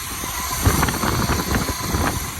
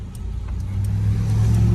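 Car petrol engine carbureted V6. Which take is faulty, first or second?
first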